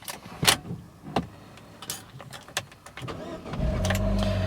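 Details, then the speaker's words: 2012 Vauxhall Corsa VXR after fitting a new MAP sensor on the throttle-body pipe, heard from the cabin: clicks, quick clean crank and catch into a steady even idle; all warning lights out, fault-free, overboosting sound gone. "the car starts and bang, all the lights are out. So now we have a completely fault-free car. There is no issues. I haven't got that horrible overboosting sound,"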